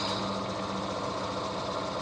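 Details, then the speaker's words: Vintage HPA wheel balancer, probably Danish, early 1960s, running with about 75 g weight added. Steady motor hum with a fast even thumping shake; the whole machine shakes. Heavy out-of-balance vibration. "there's quite a lot of vibrations. The whole machine is shaking. Yeah, it really doesn't like that. It's really out of balance."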